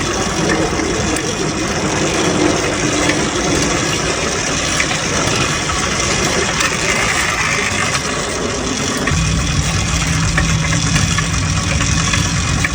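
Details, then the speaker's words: Restored motorized bike/moped two-stroke after clutch rebuild and new spark plug, just started on the third attempt; rough busy crackle settles into a steady stronger run, keeps running on its own, normal. "And just like that, on the third try of the day, at about the third attempt starting it, it came to life."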